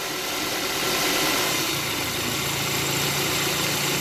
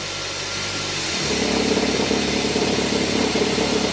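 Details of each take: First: Petrol car engine idling in gear after the accessory belt tensioner was replaced to cure a strange noise when engaging drive or reverse: a steady, smooth, even hum with no knocking or rattling. The tensioner now swings much less. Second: Car idling as drive or reverse is engaged: engine turns louder and rougher, with an uneven fluttering rattle as the worn accessory belt tensioner oscillates; replacing the tensioner fixed it.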